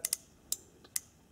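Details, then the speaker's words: Starter relay bench test with coil powered by leads on the vertical terminals: sharp, clean clicks about every half second; relay pulling in properly, a good sign though not a foolproof test. "is a very good sign that this is working but it's not foolproof"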